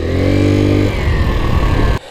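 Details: 1984 Yamaha Riva 180 scooter after cleaning and rebuild. It runs briefly at steady revs, then sags and stumbles and cuts out after about two seconds. Owner feels it needs a new air filter; cause not confirmed. Stalling tendency.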